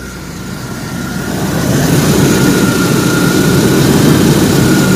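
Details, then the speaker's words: Car after an oil leak repair and new battery, no check engine lights, still due an oil change; idles smoother but still "sounds like a tractor," with an even low rumble and no knocks or misses, normal idle. "idles a lot smoother still sounds like a tractor but I'll make it a little bit more racy as we figure out some things to do to it"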